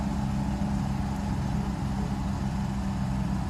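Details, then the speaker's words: Neglected Mercedes 600SL cold start after sitting a few days, very low fuel, check engine light on, replacement mass air flow sensor fitted: smooth, deep, even idle with steady hum, no misses or knocks; rpm settling normally. "you can see rpms are gone right direction everything's just fine given the fact that this was this car for car was so neglected"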